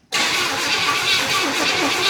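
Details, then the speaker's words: 1977 Pontiac Grand Safari wagon, 301 V8, parked 30 years, cranking with oil pressure before fuel is added: steady, evenly spaced cranking beats with no galloping. Compression sounds even across cylinders. "I tell you what, you can hear a little bit, but it sounds pretty even all the way across the board, doesn't it?"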